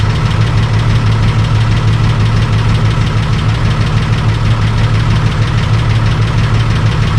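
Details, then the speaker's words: Holden VL Calais turbo six, first start after a bigger turbo upgrade with new exhaust and muffler: steady idle with a deep, even exhaust burble at about three pulses a second, no misses. "so it's got a totally different exhaust on it now and yeah so much different different muffler"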